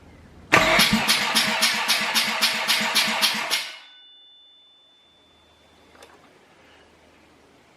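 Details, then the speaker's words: Compression test on a dirty old rotary engine, cold, assembled just for the test: even starter chug about three to four beats a second with matching pulses, then stops; healthy balanced compression, results really good. "we've just done a compression test as you've seen and it came back really really good"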